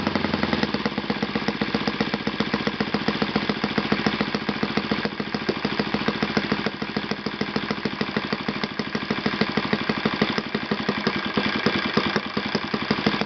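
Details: Yamada (Futaba) YS F 120 four-stroke glow engine on a test stand after a full rebuild (combustion chamber buildup, piston and ring problems), Yamada No. 4 plug: crisp rapid evenly spaced firing at steady speed, no sputter or sag; normal running.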